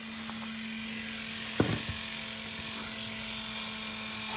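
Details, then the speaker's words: 1975 Mercedes 280SL R107 with D-Jetronic injection and low-pressure Bosch fuel pump, first start in years: an even electric hum with faint hiss at key-on; the fuel pump runs normally and pushes fuel through the filter and line. "So let's see what happens when we turn the key. I can hear the pump running."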